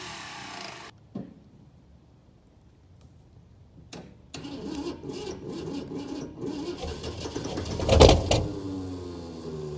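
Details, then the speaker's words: 1966 Ford F100 V8, first start in 17 years, bottle-fed through the carburetor: after a pause the engine catches roughly and lets out one sharp cough as fuel spits back through the carburetor. "There we go. Spit back at me. I got plenty in the bowl."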